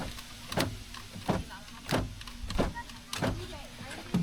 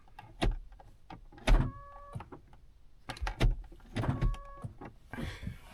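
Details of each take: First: 2010 Honda Odyssey door lock actuator removed from the door and tested with no load: a short buzzing clunk repeats about every two-thirds of a second as the motor strains but is stuck. The unit is plastic-welded and not repairable, so it needs replacement. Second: 2010 Honda Odyssey, working lock moved by hand: quick clunks with short motor buzzes as the rear lock actuators cycle; those actuators work normally, while the door lock being taken apart is suspected jammed.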